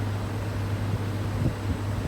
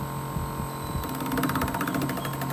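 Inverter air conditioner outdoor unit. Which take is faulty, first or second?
second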